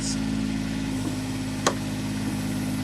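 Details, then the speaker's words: Micro digger (mini excavator) diesel held at full RPM while the lower lever hydraulically retracts the tracks: a steady engine note with faint hydraulic strain; tracks pull in normally. "And now that we're at full RPM, this lever lower down will retract the tracks."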